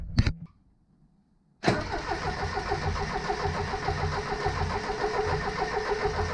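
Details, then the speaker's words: 1977 Triumph TR7 on an auxiliary fuel tank connected to the fuel line: starter turns the engine steadily with even compression pulses but it never catches; owner suspects fuel is not reaching the carburettors. "So, didn't even make an attempt to start there. I don't think somehow the fuel is getting through to the caresses."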